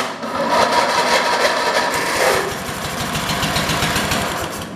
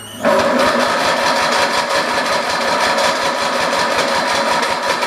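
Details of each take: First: 1980s Husqvarna garden tractor engine, with fuel poured into the intake: small single fires into a quick, even chatter without misses; runs fine. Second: 1980s Husky garden tractor, free non-runner, fuel poured into intake, jumped from a 1973 tractor whose battery is dying: even cranking at about three beats per second that never catches; slow cranking from fading battery suspected.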